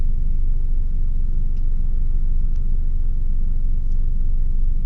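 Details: Engine idling after switching to Castrol oil: low, smooth, even rumble with no ticking or tapping, quiet even pulling away; earlier loud ticking gone, long-term result unknown.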